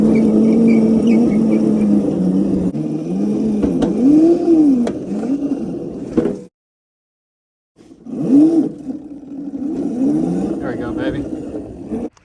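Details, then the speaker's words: Razor Crazy Cart XL electric motor on two Milwaukee M18 batteries in series (36 V), test ride: motor whine climbing and falling with throttle, smooth tone near 200–300 Hz, no grinding; normal electric drive under load. "you guys just saw, this thing absolutely rips on 36 volts."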